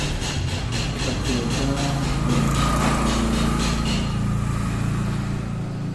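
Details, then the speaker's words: Epson L120 printer after fixing paper not ejecting fully (paper-exit roller rail serviced): steady motor hum with even ticking about four times a second as the sheet feeds and ejects fully; printing normally. "Nah, kita lihat printer sekarang sudah bisa melepaskan ya kertasnya ini."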